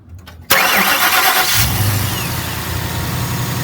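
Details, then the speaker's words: Ford Mustang GT V8 after bearing replacement for a knock: crisp crank and catch, then a steady even idle with no knock or tapping; engine sounds healthy, though coolant is leaking. "The motor sounds good."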